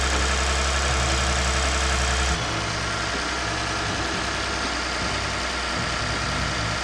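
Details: Lexus IS350 after replacing damaged radiator, AC lines, condenser and coolant reservoir, first start in a while: steady, even idle with smooth low rumble, no knocks or misses.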